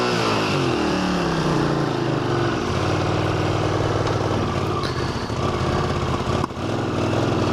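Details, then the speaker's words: 1981 Honda CX500 starting cold for the ride home on a 54°F November day, helmet microphone; engine smoking slightly, owner thinks it sat a long time. Runs unevenly, revs sagging and catching. Cold engine stumbling, needs a long warm-up; owner tries the choke. "Wow, is this thing cold-blooded, man? It's ridiculous. It wants to sit and warm up for 15 minutes."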